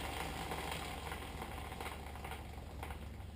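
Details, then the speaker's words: Yamaha TW200 rear wheel after a brake change and adjustment by ear: spinning gives an even, steady whir with no pulsing or catching. The brake runs free without drag. "Now that's pretty good. No pulsating, no catching and keep going."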